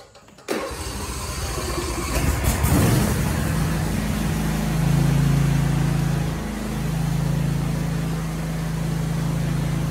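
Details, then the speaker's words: John Deere S180 riding mower, 54-inch deck, owned a little over a year, started with the PTO engaged after mower belt replacement: engine catches after a short crank and settles into a smooth, steady run with the deck spinning, a healthy start. "then I fired it up and it sounds like it's working good so I will go cut some grass"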